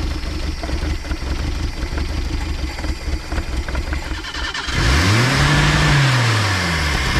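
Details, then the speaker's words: 1979 Datsun sitting about 30 years, HEI distributor, fuel pump hooked up: runs rough, then revs climb and hang high on their own; a broken-off vacuum fitting wired in place leaves a huge vacuum leak. "this deal right here broke off and we have a huge vacuum leak this is all just held on by wires that people have wrapped around there and right here is our giant vacuum leak"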